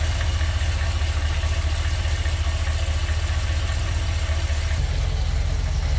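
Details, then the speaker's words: Ford F100 V8 being tuned by vacuum gauge, fuel smell at the exhaust: deep, steady idle with a slightly lazy, loping beat, no misses; carburetor idle mixture too rich, screws need turning in to lean it. "so right off the bat I can smell fuel coming from the exhaust it's running too rich"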